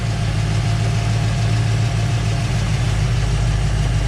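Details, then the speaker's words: 1970 Dodge Challenger R/T 440 Six Pack V8 after thermostat and radiator cap replacement, being burped of air that caused overheating; warm, car jacked up, idle fluctuated, likely as thermostat opened. Deep, steady even-loped idle with no knocks, misses or hiss; normal warm idle. "i've had the idle fluctuate a couple times and i can see movement here so i'm gonna assume that's the thermostat opening and uh it's looking good now"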